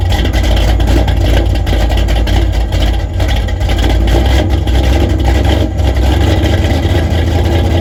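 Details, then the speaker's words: 1974 Corvette V8 after repair of bogging and sputtering, idling through heat cycles for a good minute: deep, steady, even rumble with no misses, knocks or ticks, holding great oil pressure at idle; healthy idle. "it's definitely been running for a good minute now and we are still having great oil pressure at idle"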